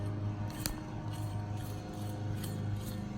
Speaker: I don't know if you can hear that or not, but that bearing's toast.